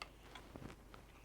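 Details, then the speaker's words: Amiga 600 with newly replaced floppy drive and 2.0 ROMs, powered on and waiting for a Workbench disk: quiet, light ticking from the drive; normal, working floppy mechanism, and it boots well. "I can hear it ticking so I'll be right and that looks like a good boot"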